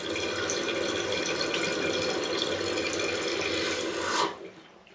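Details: Toilet tank refilling through its fill valve: a steady, even hiss of water that cuts off cleanly, with no hissing squeak, whistle or fog-horn sound at the end of the fill. This is a normal refill.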